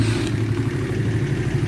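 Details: Shineray 50cc motorcycle after repair of an engine knock, cam chain replaced and shortened by two links: even idle with smooth low burble, no top-end rattle or ticking; engine now quiet and healthy.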